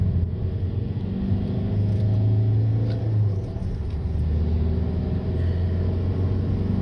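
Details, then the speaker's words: 2006 Volkswagen Jetta TDI after wheel bearing replacement; steady road rumble and engine hum with no growl, healthy bearings; slight brake pad contact noise normal. "notice the lack of growl that's what it's supposed to sound like okay so this is what it's supposed to sound like uh when your wheel bearings are good you can actually hear the engine for a change"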